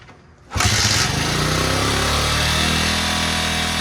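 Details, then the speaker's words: 1977 Honda XL75 vintage dirt bike revived from storage, cold start on choke with fuel and spark confirmed: fires on the first kick and settles into a steady, even single-cylinder putter with no misses; healthy start. "I thought five kicks would be generous, but uh just one is all it took. And this thing fired right up."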